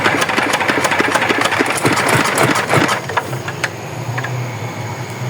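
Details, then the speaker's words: Yanmar DX tractor with a Chinese R175-type diesel, seized after running short of oil; compression is present. It chugs with a loose, heavy knock about three times a second, then dies; connecting-rod bearing damage suspected. "kalinya masih enggak mau hidup k terpaksa kita bongkar ini kira-kira di bagian metalnya ya suaranya karena oplak-oplak"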